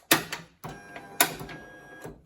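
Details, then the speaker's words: 2004 Toyota 4Runner rear hatch after aftermarket latch switch install, working again: hatch shuts with clunk, short whirring bursts, second clunk; normal latch actuator operation. "works I push the button oh my gosh now it's working again"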